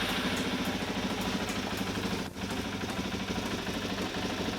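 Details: 2002 Suzuki DRZ-400E single-cylinder dual sport, converted for road use, started only with the kill switch out: even thump at idle, about three beats per second, with no knocks or rattles. Normal idle.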